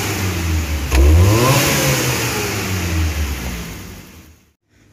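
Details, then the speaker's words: Futura 1.5 (1500 cc) car: quick blip from idle climbs cleanly and drops back smoothly, no delay or shake like before; normal response, though mechanic suspects low fuel pump pressure and may replace pump and filter. "erasinya kalau dari gas-gasnya ini saat kita injak secara spontan ini udah normal Ya udah langsung udah langsung responsif tidak delay kayak sebelumnya ndak getar dulu baru ngegas gitu baru tinggi untuk gasnya nih ya nih"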